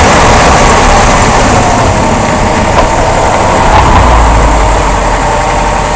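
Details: 2005 Jeep Grand Cherokee: loud low rumble with regular thumping about three per second; caused by worn rear support rubber bushing of the front drive axle and a bad front driveshaft U-joint, replaced.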